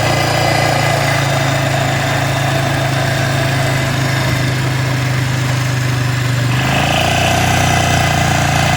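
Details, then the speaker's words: 1996 Polaris Marauder 425 4x4 ATV, neglected machine revived, fuel leaking, carburetor issues, being ridden: engine runs unevenly with a loose, uneven beat and a shift in tone partway through; abnormal running noise, cause unconfirmed. "Yeah, you can hear it. Something is not right."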